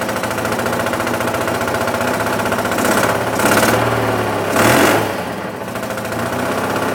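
Twin idles unevenly with an uneven beat and blips up and down; it sounds like a rough-running misfire, cause unclear.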